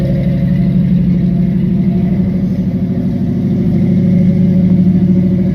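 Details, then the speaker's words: 1974 Ford F-100 carbureted pickup cold start after sitting three to four days. Cranked, then two throttle pumps twice before it fired. Steady low rumble with a slight uneven pulse and light revving, with no knocks or squeals; running fine. "so give her another two pumps oh she's about to go there she is she's running"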